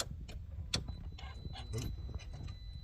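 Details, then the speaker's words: Mitsubishi Delica with Cummins 2.8 swap, first key-on, engine off: sharp relay clicks and a brief electric whir as the throttle body cycles and syncs; normal self-test showing the PCM is operating. "throttle body you can hear automatically cycle and sync that means our PCM is operating"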